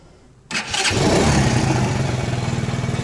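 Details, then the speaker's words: Alpha moped after an engine rebuild (110 crank and piston, 72 head, new Japanese bearings): starts quickly and idles evenly with no knock. The earlier knock came from a wrongly fitted head gasket; the gasket was fixed and the valves adjusted. "работает ровненько прекрасно никаких посторонних шумов и стуков нету"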